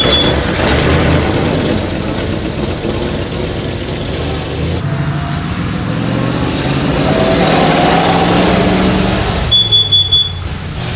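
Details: 1937 Ford V8-60 flathead first running on a new 6V electric fuel pump; uneven stumbling beat as revs rise and fall, running on five or six cylinders, owner suspects flooding and a couple of fouled plugs, sometimes picks up to eight; misfire.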